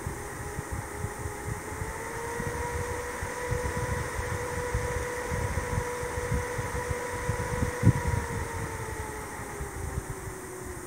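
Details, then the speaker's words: Windows XP PC CPU fan, previously running at full speed with no motherboard fan control, fitted with an adjustable resistor and tested on a dead motherboard: steady whir rising slightly, then slowing and quieting. Fan speed reduced for quieter running. "and as you hopefully hear now i can set up the speed of the fan to some reasonable value where it still blows enough air but is as silent as possible"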